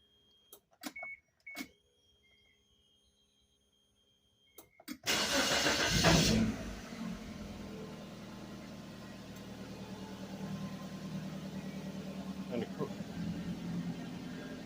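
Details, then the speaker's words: Suzuki Vitara first start after sitting 13 years, tank pulled and cleaned, fed from a bucket, key cycled to prime: fuel pump priming clicks, short crank, engine catches to a steady slightly uneven idle with a little smoke smelling of rotten gas. "And we get a little smoke. Smells like rotten gas. Yeah. So basically guys, yes, it does run."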